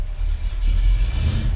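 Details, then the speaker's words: 1965 Ford Galaxie hardtop with headers, started dead cold after exhaust leak repair and new transmission; deep even exhaust rumble with light rev, slightly tinny, no puffing or ticking; engine whistle still present, exhaust now sealed. "Does sound good. Well, it sounds like it did before without exhaust leaks."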